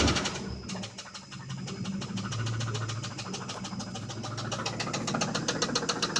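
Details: 1995 Lincoln Town Car with 326k miles at idle: sharp regular knock about four per second that quickens slightly, rod knock on cylinder 3; engine to be replaced.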